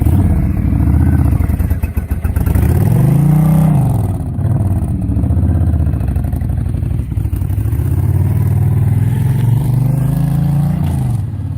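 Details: 2005 Honda VTX 1300R before Cobra slip-on and jet work, first baffle drilled with about five 3/8-inch holes, about 15-16°F: cold V-twin lopes unevenly at first, then settles into a deep steady throb with a couple of blips. Nothing mechanically wrong.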